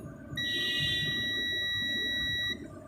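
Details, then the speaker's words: Multimeter set to continuity, probes touched together before testing a fridge compressor's windings: one steady high-pitched tone about two seconds. Normal continuity beep. "तो जैसे ही हम continuity पे set करेंगे, इसकी props को आपस में मिलाएंगे तो ये आवाज़ देगा, या यहाँ पे रेजिस्टेंस, इधर रेजिस्टेंस शो"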